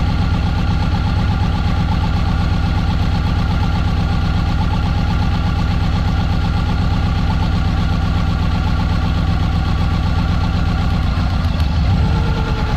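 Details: Subaru EJ20 engine at idle, during a coil check: uneven thumping at about four beats a second with a lumpy stumble in the rhythm; engine misfire, cause not confirmed.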